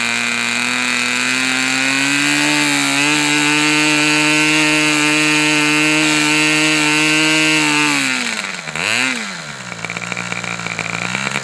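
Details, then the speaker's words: Fox twin-cylinder glow model engine, probably the final run, cooler windy conditions: strong, steady high-pitched buzz lifts slightly, holds even and smooth, then dies as the tank runs dry; healthy twin. "Okay, I think we're done. Holy crap. This was probably one of the most enjoyable engine runs I've done in a long, long time."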